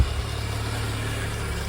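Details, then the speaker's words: VW Golf Mk2 GTI 16v first start after sitting, fresh battery, foot gently off the throttle; steady even idle with smooth low hum, no knocks or misses, normal idle. "Just gently taking my foot off the gas. Oh, it's idling. That's brilliant."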